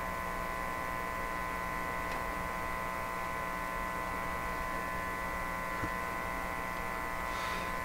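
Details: Viking EMU61 tube radio: a constant low power-supply hum through the speaker. There is no hum at the detector output or the volume-control input, but hum appears on the other side of the volume control during troubleshooting.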